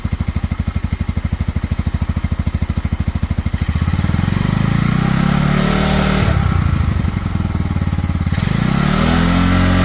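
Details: Cheap Pioneer Nevada single-cylinder motorcycle after new carb fitted and rusty tank cleaned with vinegar, choke off: slow lumpy idle thump climbs smoothly with throttle blips, then settles; runs cleanly on its own, slightly sticky throttle.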